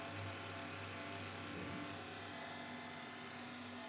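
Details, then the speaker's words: Monster Abra A5 V16.6 gaming laptop whose owner complained of a raspy fan, louder at first start: a rough raspy whir with a low hum beneath. One fan is fine, the other runs noisily; worn laptop fan bearing. "Buradaki sorunsuz. Herhangi bir sıkıntısı yok. Fakat buradaki gürültülü bir çalışmaya sahip."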